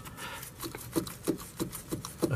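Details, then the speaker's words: Mercedes Vito W639 OM646 111 CDI van, front lower control arm ball joint corroded and loose: repeated creaky squeaks with dull knocks, about three a second, as wheels turn; worn ball joint, to be replaced. "a squeaking sound. And a knocking when we're turning as well. Yeah. So that's our problem."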